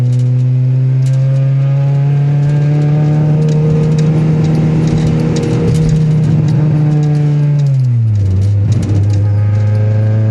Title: Gsr misfire